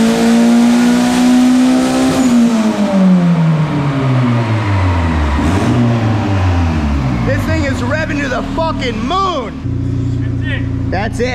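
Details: Turbo Honda Civic on a $120 turbo at 10 psi, with timing tweaked and fuel reduced after running super rich. Winds up smoothly to high revs then drops back, with no misses or knocks. It made 229 hp, a normal healthy pull.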